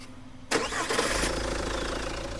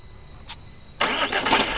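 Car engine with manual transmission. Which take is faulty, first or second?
second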